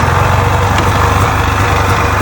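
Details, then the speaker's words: Polaris Indy Trail snowmobile after carbs and fuel system cleaned of bad fuel, started in about six pulls with no idle adjustment; steady, even two-stroke putter holding a smooth idle, no hunting or misses; healthy normal idle. "just sits here and idles away. She's a beauty. Absolutely beauty, runs beauty."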